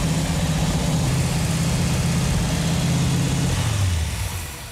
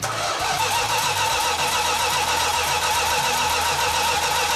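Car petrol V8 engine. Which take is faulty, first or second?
second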